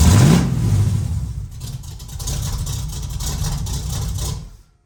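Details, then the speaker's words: The Meano Camino V8 with long-tube headers and Cherry Bomb Glasspacks, camera at rear: deep loud burbling rumble rising on a rev then settling; healthy engine, exhaust needs more muffler. "We're gonna definitely need some more muffler on that for sure. Oh my gosh. The Glasspacks are a go, baby."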